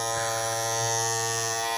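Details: Andis Masters cordless clipper after a temporary fix: a loose part no longer pushed up on the blade, causing intolerable vibration and noise. Now a steady high-pitched motor buzz, even and smooth with no rattle or chatter, until the part is replaced.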